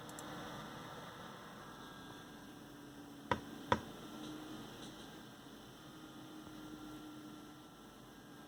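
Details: AMD Wraith Spire stock CPU cooler fan running loud with a constant droning hum, faint whoosh and a couple of stray clicks.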